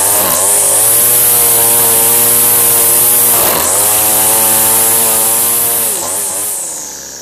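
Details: Two-stroke weed eater string trimmer after fuel line replacement. Loud, buzzy, steady high revs with a couple of brief dips and recoveries; normal running.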